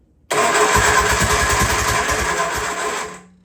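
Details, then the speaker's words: Freshly rebuilt Triumph Spitfire engine, first start after it was hitting from firing too early and the timing was retarded: it runs in uneven, lumpy pulses about three a second, flat and gutless. Ignition timing is now too retarded. "ignition's real super retarded now, 'cause you're not making any power."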